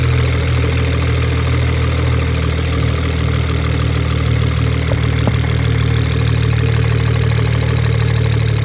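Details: BMW 335i N54 engine at idle: steady idle with a light tick about four per second over the hum. Owner wonders about valve tapping or a rod bearing, and the injectors are also suspected of pinging; engine ticking of unconfirmed cause.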